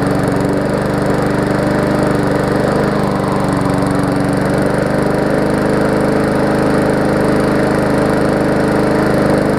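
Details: Murray 3.5 hp Classic push mower after a full service with a new spark plug, a new starter rope and a toggle kill switch: steady, even single-cylinder drone with no misfires or hunting; normal running.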